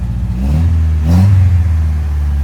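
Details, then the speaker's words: 3rd-gen Honda Prelude engine, which had flooded and backfired out of the intake while starting, now revving: a deep, steady note swells smoothly with a quick rev and settles back, with no knock or misfire; the motor sounds happy. "Whoa, dude. This motor sounds so happy. It sounds so happy."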